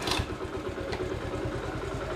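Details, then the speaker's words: Old three-wheeler revived after gummy buildup was cleaned out; it now fires right up. Quiet, even putter with steady low pulses and no misses or clatter: normal idle. "I'm gonna start it up and you guys can hear it purrs like a kitten really quiet"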